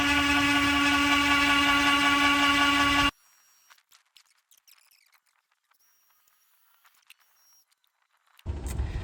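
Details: 1969 International Scout 800 heater blower motor running free on the bench after oiling gives a loud, steady buzzy hum, then stops; noisy and vibrating, owner thinks the motor is just bad.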